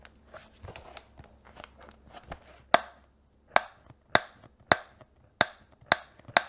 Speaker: Like, this bottom panel sort of creates a squeaky noise when you're pressing it or when you're holding it in that mode.